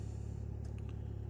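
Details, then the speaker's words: Audi A6 2.0 TDI that would not start in cold, damp weather, after repair, just started cold after frozen night; even, quiet low diesel rumble with regular firing pulses, no misses, knocks or warning lights, healthy idle. "Nekas panelī nedeg. Aizsalis mums. Izskatās, ka būšu saremontējis."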